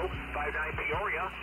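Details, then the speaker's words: Receiver near Xiegu DH100 power station: steady buzzy hum with evenly spaced clicks and crackle over receiver hiss when its LED light is on the low setting; noise goes away on the high setting. "is really noisy it's interesting to me but the high power is not K Tango"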